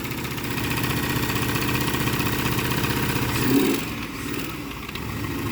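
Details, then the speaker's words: 2003 Trailblazer 5.3 aluminum V8, first cold start: uneven, loping idle with a stumbling beat and light ticking; dead cylinder, owner suspects a couple of stuck lifters, not confirmed. "Woo! Yeah, it sounds like a couple lifters are stuck. But hey, it does fire up."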